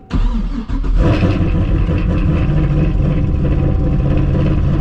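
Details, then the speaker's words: Cadillac CTS-V with LS2, Texas Speed Torquer V2 112LSA cam, ported intake manifold, intake tube, cat delete, stock exhaust manifolds (exhaust leak noted), 376 hp, about 300 miles after install; cold start: loud bark, then deep choppy loping idle, quiet top end, aggressive exhaust; normal cammed idle. "this sound will probably never get old to me so we still got a real quiet top end here and then we got that aggressive exhaust note"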